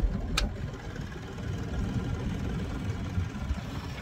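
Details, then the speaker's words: 1983 Evinrude 70 hp outboard idling in neutral runs steady but noticeably fast, with no misses or knocks; idle RPM likely set too high, though lower than the brief surge after shifting from reverse to neutral at the dock. "I can hear, maybe I've just got the RPM set a little too high. Yeah, that's definitely high RPM there, but it's not the spike of what I had back at the dock."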